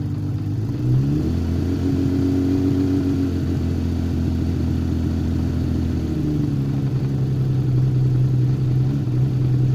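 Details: Honda CBX on alternator test with the European lower-output alternator, idling at 1000 rpm at 12.4 volts: smooth low idle rises cleanly to a higher steady hum about six seconds in, charging reaching 12.8 volts near 1300 rpm; no misses or knocks.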